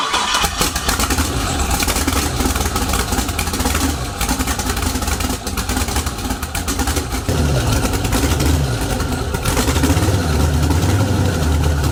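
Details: Cold start of an LS V8 swap with quad turbos after an ignition fix, fuel pump priming first; it runs loud and rough, idle surging and settling unevenly, and the idle problem is still unresolved.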